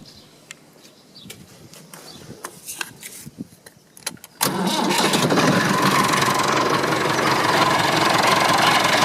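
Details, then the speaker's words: Massey Ferguson 265 tractor diesel just started after new radiator fitted; cranks, catches, then loud rough busy running noise over idle; owner suspects water pump on the way out, worn water pump bearing. "Well, you see I just started it up and I realise now I've got another problem which I hadn't diagnosed before. Can you hear how noisy it is?"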